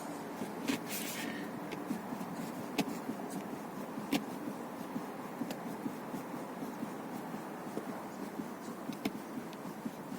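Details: Kia Seltos rear seatback rocked sideways in its first latch position: sharp irregular clicks and knocks from the rear seat latch area; taping the latch bracket lever did not stop it, cause unconfirmed.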